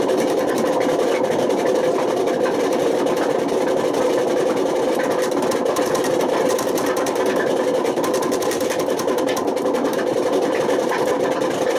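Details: Washing machine running high spin with badly worn drum bearings: constant harsh roar with gritty rattle throughout; the bad bearings had damaged the spider and worn the motor, and can overheat, smoke, spark and cause fire.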